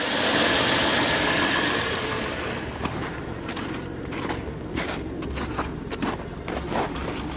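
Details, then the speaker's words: Ford Falcon started after sitting all winter, running on a fuel cell: warm idle with a steady rumble broken every second or so by sharp, uneven pops; occasional popping at idle, owner otherwise says it runs pretty good. "I got a little pop to it but I'm not going to complain yep running pretty good actually"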